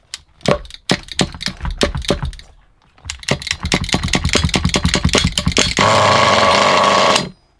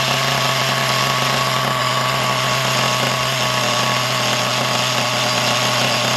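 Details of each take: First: Used HPI Nitro Trophy buggy nitro engine: the pull-start rattles, then it catches and revs to a steady, even high buzz with no misfires. It runs well; the idle screw was adjusted afterward. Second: Used HPI Trophy nitro buggy engine: a fast, steady, high-pitched buzz that never drops into a slower tick-over. The idle is set too high because the tick-over screw is turned too far in.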